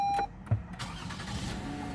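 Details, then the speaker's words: 2015 Lexus ES350 after a no-start repair (steering column shaft changed, motor fitted from a donor column): dash chime, then a short crank that catches at once and settles into a smooth, steady low idle; starts normally. "put it all back together call crunk right up as you can see"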